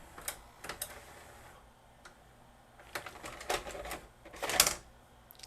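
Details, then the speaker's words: Magnavox ZV457MG9A VCR/DVD combo after straightening a bent back tension arm that caused loud scraping on load: quiet clicks and short motor whirs as the tape ejects smoothly with no scraping; rewind and fast-forward also fine. "does it rewind perfectly fine fast forward will it give the tape back"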